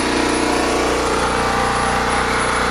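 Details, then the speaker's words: Small generator after carburetor replacement running at 60.1 Hz with a light load, fuel shutoffs off and choke 3/4 closed to run the bowl dry; steady even drone with no surging or misses; normal steady running. "Still running at 60.1 cycles. This is great."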